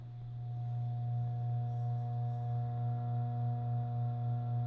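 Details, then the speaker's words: 52" Turn of the Century Tempo ceiling fan, about 2013, running on low speed. A loud, steady low hum with slight slow pulsing; the motor is humming excessively. "i don't know if you can hear that but motor's humming quite a bit"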